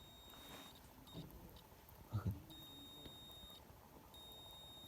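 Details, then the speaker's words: Bolat 22 hp tractor reverse light switch on transmission tested with multimeter in continuity mode: steady beep with reverse engaged, silent in neutral, so switch is good; normal reverse light switch continuity. "şu an Yani demek oluyor ki bu sağlam müşür ki şanzıman müşürü"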